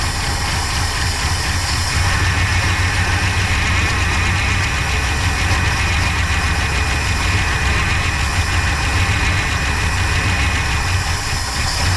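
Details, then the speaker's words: 1966 Pontiac Grand Prix, 389 CI V8, automatic, barn find unused about 30 years, first start on slight throttle with little fuel: loose, uneven chuff under a hiss, runs rough but decently despite chewed spark plug wires; fuel pump not pulling. "that might be it for our fuel Reserve in the car but that's not bad that thing's running pretty good for having a bunch of chewed on spark plug wires"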